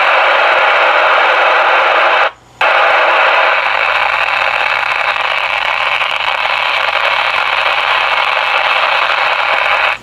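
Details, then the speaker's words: Icom 28H mobile base radio with a damaged speaker: steady heavy hiss like pouring rain with brief dropouts and no clean audio; crackling, distorted, poor-quality output. "Pagka ganyan na Lodi yung audio ng inyong radyo, syempre yung quality din ng audio na naririnig ninyo ay talagang hindi maganda."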